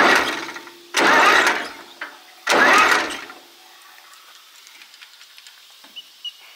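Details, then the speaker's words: Zetor 4911 diesel tractor parked since 1986, cranking on starter: two strong even heavy cranking bursts, never starts; plenty of compression, valves suspected out of adjustment. "oh I would say they're all returning because when you spin it with the starter it sounds like it's got plenty of compression I would say they're just out of adjustment"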